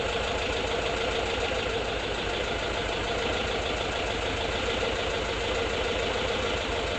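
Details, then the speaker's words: 1979 Volkswagen Bus air-cooled flat-four, after failing, first start: steady, even idle with light tappety chatter; not yet tuned, hydraulic lifters still pumping up; normal idle. "Sounds good, right? Running. Didn't even tune it yet. I gotta let the hydraulic lifters build up. Sounds really good."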